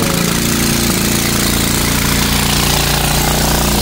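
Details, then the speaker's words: Dongfang four-seat go-kart engine running, before repair: harsh, very loud rapid crackle and rasp over the engine beat from an exhaust leak; loose exhaust nuts found and then tightened with an impact driver. "yeah we got some exhaust issues so that's the first thing we're going to look at here"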